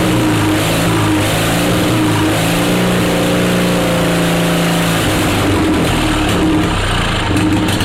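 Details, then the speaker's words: Onan Performer 20 HP twin-cylinder engine, intended to repower John Deere 850 compact tractor, test run; steady even beat with slight speed rise and fall, no knocks or misses; runs healthy. "that she runs like that she's a runner baby she is a runner"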